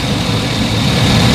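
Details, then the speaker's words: 2011 GMC/Chevy 3500 6.0L, running after a no-crank was fixed by rewiring a fuse feed to the relay: loud, deep, steady V8 idle with no misses, knocks or ticks. "The fuse input, the relay close, the fuse come up, send it there, and the car is started running."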